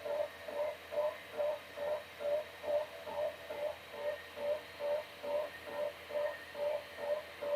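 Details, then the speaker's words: Atari Megafile 60 hard drive: soft regular clicks about twice a second over a quiet hum instead of spinning up normally; formatting then fails with "couldn't read root sector." "the hard drive's clicking away."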